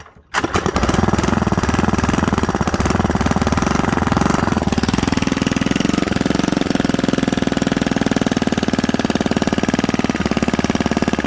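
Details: Predator 79cc single-cylinder after a carburetor spacer and throttle linkage fix, started on choke: fires at once with a fast, steady chatter and holds an even idle without stumbling.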